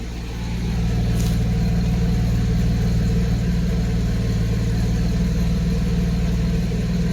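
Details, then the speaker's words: 1991 Mercedes 190E after hydraulic lifter replacement: steady even exhaust pulse at idle, no tick; previously a ticking noise the exhaust followed, now runs nicer with every cylinder firing evenly; normal idle. "it runs actually pretty much nicer before I would have that ticking noise and the exhaust would follow that tick"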